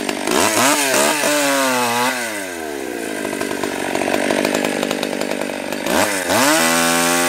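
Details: Stihl 020 AV chainsaw, first cuts after a carb rebuild, new gasket, clutch, chain and nose-bearing bar: crisp rev-up, steady snarl bogging slightly in the cut, then picking up cleanly; healthy, strong-running saw, idle turned up once warm.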